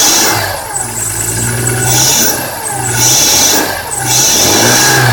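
Engine idling and revving with a harsh, high chirp and scrape that rises and falls with each blip; source unclear.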